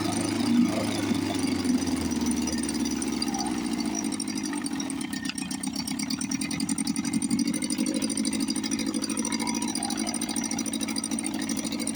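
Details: 1954 Johnson 5.5 HP outboard, probably not run since the 1960s, first start on choke after magneto reinstall and carburetor rebuild. Catches and settles into a fast, buzzy, fairly even run with steady firing. Normal running.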